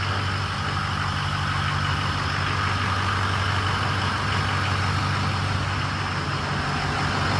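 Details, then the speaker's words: Freshly rebuilt diesel engine first fire-up, high pressure oil about 88 psi holding, idling at full operating temperature before shutdown: steady, even clatter with smooth low rumble, no knocking; sounds good, normal idle. "good well it's all the way at the temperature I just killed it"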